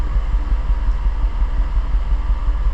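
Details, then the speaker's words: 2006 Infiniti G35, 200,000 km, new spark plugs: uneven lumpy idle with irregular low thumps, not a smooth running engine; P0300 random misfire, bank 2 lean, ignition ruled out, traced to bad fuel injectors. "that's not a smooth running engine"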